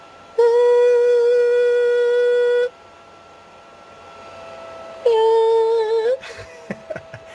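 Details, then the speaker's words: Overheating PlayStation 3 CECHC at about 65-66 degrees: loud steady mid-pitch fan tone cuts in, drops out, returns and wavers; strange background fan noise. "But this fan, look, it makes some strange background noise."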